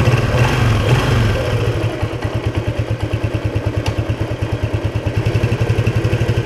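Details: Restored 1976 Honda XL175 single, first ride after restoration with the clutch adjuster just set: steady low thumping about two beats a second, pulling evenly with no surge or flare; clutch grabbing, normal acceleration.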